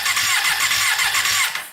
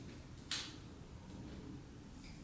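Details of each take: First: Custom Yamaha Banshee with 600cc sport bike engine swap, not run in a while, plugs pulled to check spark: rapid rhythmic cranking with a hissing puff each compression stroke, stopping abruptly; starter cranking with a spark plug removed, spark found in cylinder 2. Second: Custom Yamaha Banshee with 600cc sport bike engine swap, not run in a while, no tank fitted, choke on after freeing a leaking carburetor float: engine barks to life, holds a raspy high idle about three seconds, then dies suddenly; fuel starvation.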